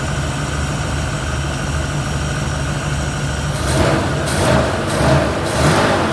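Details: 1971 Ford Torino, rebuilt 302 V8 with C4, after slight carburetor idle mixture tweak (was a little lean): steady even idle, then several clean throttle blips rising and falling crisply, no stumble or popping; revs and idles clean.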